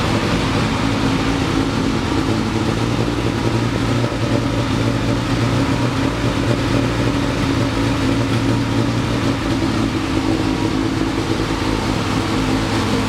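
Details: 1973 Triumph TR6 first start after 2-year restoration: uneven, lumpy running with ragged low beat; rough running, owner thinks ignition too far advanced, also hears clicking.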